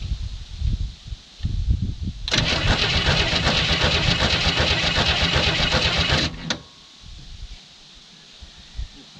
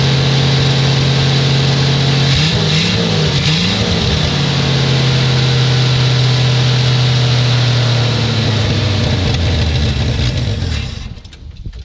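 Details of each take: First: 1967 Chevy II Nova, sat 30 years, fuel line disconnected, something jammed in to clear flooding: starter spins the engine steadily and fast for about four seconds, never fires; crank no start, flooded. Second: 1967 Chevy II Nova, sitting 30 years, first start on bottle-fed gas, radiator leaking. It catches and runs steady and even with a firm low tone for about ten seconds, then shuts off. Normal running.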